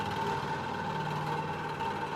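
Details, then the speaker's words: Pin-jointed beam lab rig driven by a counter-rotating unbalanced-mass motor at the single-degree-of-freedom natural frequency, about 19.5 Hz; steady, droning resonant vibration hum. "you can start to hear there's much more vibration this is our single degree of Freedom system natural frequency actually occurring at around about 19.5 Hertz"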